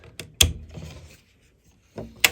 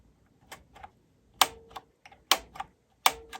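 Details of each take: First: High-end cassette deck reel drive test at power-up: a few sharp mechanical clicks and a brief rattle, then quiet; reel drive only twitches and won't turn, likely needs a new idler. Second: Cassette deck being evaluated at first power-up before any repair: four crisp separate clicks about a second apart as tape type selector switches; tape type switching working normally.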